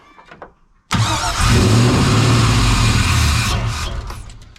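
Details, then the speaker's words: 1992 Chevy C1500 with an LS1/T56 swap on its first start, temporary standalone harness and no radiator: the engine fires abruptly, runs rough for about 2.5 seconds, then fades and dies; engine stalls after starting, cause not yet found. "it just dies nothing's really changed I just connected the here um I turned on the fuel pump a few more times hoping maybe that will help"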